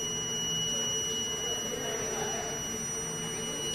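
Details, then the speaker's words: Portable air supply CO monitor during span-gas calibration: a high, piercing continuous alarm tone over a faint hum. The alarm triggered at 10 ppm with the red light, and the reading climbed quickly to 83 ppm; the alarm works properly. "When it hit 10, I could hear and then see the red light, alarm light on this side of the panel. And it goes up rather quickly."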